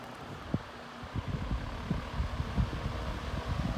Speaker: That's low speed. I also forgot to mention the fan does adjust. I just have it on the lowest position right now.